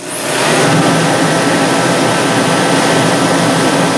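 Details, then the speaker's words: DeWalt 215,000 BTU torpedo heater after pump pressure was turned down from almost 10 psi (had failed to light and filled shop with smoke); lights and settles into a steady, even roar of fan and burner, no sputter or surging, no flames out the front: running properly. "let's take a look in the front end just so youse guys it is running good"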